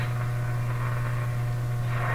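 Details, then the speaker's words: Canadian General Electric A55Z tube radio during capacitor replacements, at full voltage after a dim-bulb test: strong, steady low mains hum unchanged through the clip; owner suspects it may come from a tube, cause not yet found. "I hear the hum I hear the hum hum is changing the deeper hum is gone now oh no no no quite a powerful hum there the hum could be sourced from a tube it could be coming from a tube itself yeah it's definitely humming away here"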